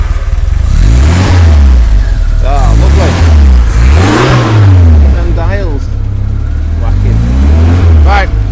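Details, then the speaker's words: Car started and blipped: catches, then a few crisp blips with revs climbing and dropping cleanly, no knocks or misfires, pleasant exhaust note; healthy engine. "It does sound very sweet. I do like the exhaust on it."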